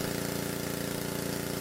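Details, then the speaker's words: Pressure washer small single-cylinder engine after pump replacement, water hose attached and air purged, pump set to 2,500 psi: steady even pulse with no knocks or misses; working as well as before, normal running. "And here we go. Looks like it's working just as good as it always did."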